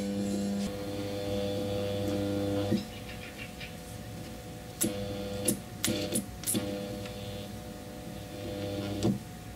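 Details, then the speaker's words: Angle grinder armature tested with a series test lamp (200 W bulb), stator wires disconnected from brushes: bad sound, flickering light, hum cutting out on several commutator segments as rotor turns; interturn short, rotor needs replacing or rewinding. "The sound is bad and the light is flickering. To make sure that the reason is in the anchor."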